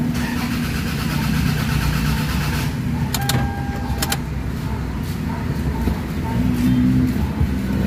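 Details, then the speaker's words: Toyota RAV4 cranking but not starting: starter turns engine over evenly for several seconds, never catches; fault traced to a wire. "Okay, so pakinggan natin yung cranking system niya kung hanggang saan aabot yung kanyang cranking. Okay, kung mayroon ba siyang response."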